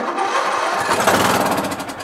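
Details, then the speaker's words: MTD Yard Machines lawn tractor, 20HP Briggs Intek, old stale gas: short ragged firing on choke, catching only on starting fluid sprayed into carburetor; owner suspects fuel solenoid not opening due to safety-switch issues, not confirmed. "So we know it starts up. Awesome. It's not getting any fuel into the carburetor because of, look at that fuel solenoid under there."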